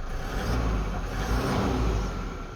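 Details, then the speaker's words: Toyota D4D diesel (Fortuner/Hilux) on first start after timing belt replacement: picks up cleanly and settles into an even, deep rumble with no knocks or rattles; runs smooth and healthy, with quick restarts. "So now let's start it up. Awesome. So it's sounding very good."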